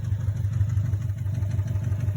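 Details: 2017 Subaru STI at 38,000 miles with intake and axle-back exhaust mods: a lumpy boxer idle with a regular low knock about six times per second; owner suspects rod knock and plans to drop the oil pan.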